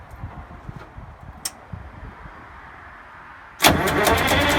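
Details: GM 4104 bus diesel, sat about nine years, after freeing four stuck injectors and replacing the bad starter: slow uneven cranking pulses for a few seconds, then it catches and settles into a loud steady run.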